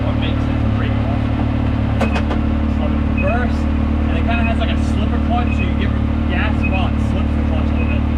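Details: 2019 Yamaha YXZ1000R SS side-by-side with a 5-speed gearbox, clutch and paddle shifters, driven slowly around a neighborhood: steady engine drone with a gearbox whine rising with road speed and clunky gear changes, which is normal.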